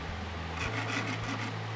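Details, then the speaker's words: Faceting a Madeira citrine round at a 90° angle to cut the girdle on a 340-grit topper lap turning counterclockwise with water drip; steady motor hum, then a gritty rasping grind swells as the stone touches the lap, which is normal. "and when you hear the grinding you know you're touching the mast the mat the stone is touching the lap"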